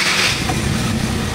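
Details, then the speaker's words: 2014 Hyundai Accent automatic, formerly needing about five start attempts: starts on the first flick of the starter and runs steadily with no repeated cranking; normal start, problem solved. "Start. One click. Ang bilis. Napakabilis. Wala na siyang ano eh. Wala na siyang redondo e. Unang pitik pa lang ng starter andar na agad eh."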